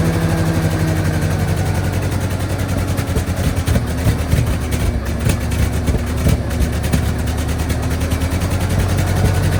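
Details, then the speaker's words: Tractor engine with timing off: rough uneven idle with irregular pops and spits breaking the low chug; sputtering, distributor to be turned to fix timing. "so as you can hear clearly the timing is off a bit it's spittering it is sping so I'm just going to turn that distributor a little bit so it wants to idle a little better"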